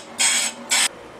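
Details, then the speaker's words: Willys M38 brake drum on a brake lathe, roughing cut: two short bursts of hissing cutting separated by quiet gaps, cutting only about half the drum; out-of-round drum giving an interrupted cut. "you can hear we're not getting a good cut on there so we're just ripping through with a roughing cut and we'll take a look at it"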